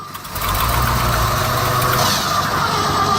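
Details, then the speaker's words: Old Ford F-600 truck cold start at -22°F: after cranking on ether starting fluid, engine fires and runs roughly about three seconds then cuts out. "Oh, the Bendix loves that. Oh, she went. See if she'll go again."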